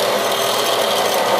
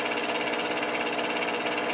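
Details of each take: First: Ceiling bathroom exhaust fan, long noisy, once cleaned: steady rough whooshing rasp; still noisy after a flap was removed, maybe slightly better, exact source in the housing unclear. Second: Bathroom fan-heater blower motor, run with a wire bridging the blown fuse, heater coils glowing: even airy whir, no scraping or rattling; spinning freely now, owner suspects dirt and dust had stopped it.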